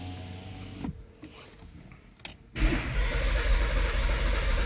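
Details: 2014 Porsche Cayenne (92A) that won't start, with ignition on, brake pressed and a PSM failure message showing: a small motor whirs, then the starter churns steadily at nearly four turns a second but the engine never catches.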